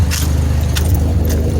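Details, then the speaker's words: 2007 Pontiac Grand Prix GT right after start-up, following a crank-no-start fixed with a set of mismatched spark plugs: deep, slightly lumpy, not loud idle, sounding healthy; a small exhaust leak is suspected near the rear manifold. "start. It's really not super loud though. Excuse me, Luna. Sounds a lot better."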